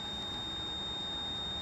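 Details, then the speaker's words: Nissan 240SX S13 with SR20DET swap, ignition on but engine off while setting up an SAFC2: steady high-pitched electronic beeping from the oil pressure gauge warning of no oil pressure. "do not turn the car on you will hear that beeping because it's our oil pressure gauge"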